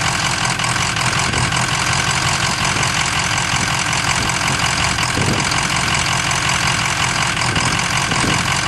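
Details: Ford 6.0 Powerstroke diesel at idle with a bad injector: loud clatter with an uneven stumble roughly twice a second, a dead cylinder from the failing injector.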